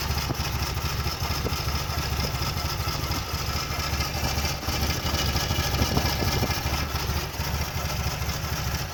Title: 1994 Fj80 rough idle